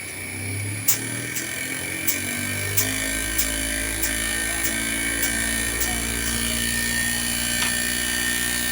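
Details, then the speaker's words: LG inverter split AC outdoor unit after PCB repair for CH 05 error, tested with a substitute compressor: fan motor hum, then the compressor starts with a deeper steady drone and light ticking about four a second; running normally. "Okay, compressor എടുത്തിട്ടുണ്ട്."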